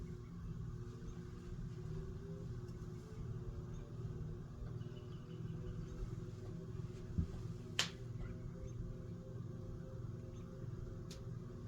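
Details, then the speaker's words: Hunter/Robbins & Myers Type R52 antique ceiling fan with a 3-speed speed coil, set to low by pull chain: a steady, smooth low hum with an even tone and no ticking or wobble, so it is running quietly and healthy. "So it is a 3-speed speed coil, just like pretty much all the antiques used. It is set to low with the pull chain."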